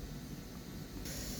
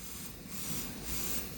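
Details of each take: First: G5 ventilator set up for synced nasal NIV in a NICU: steady soft airy whoosh that brightens as the reservoir blender mixes air and oxygen for FiO2. This is normal and sounds breath-like but is not a breath; this unit is quieter than others. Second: G5 ventilator on synced NIV with a test lung, built-in large leak and weight set to 1 kg: quick regular puffs about twice a second over a steady hiss. It is auto-cycling while learning the leak as baseline flow rises.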